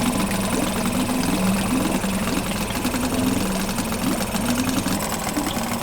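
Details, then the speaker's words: Two-stroke Yamaha 5 outboard, started on internal tank with choke closed and throttle slightly up; overestimated idle speed reduced, check-port water stream confirmed. Loud, steady buzzing note, even speed, no misses or knocks; runs perfectly. "We decrease the overestimated idle speed, check that the stream from the check port is going. The motor runs and works perfectly."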